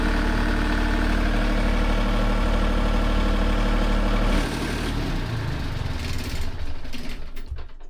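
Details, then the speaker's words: Boat diesel engine started with the sump still low, run to fill the galleries and oil filter: it catches and settles into an even, steady idle with a clean regular beat, no knocks or misses; oil pressure is present and there are no leaks. "Cool. So we know we've got oil pressure. There's no weird leaks."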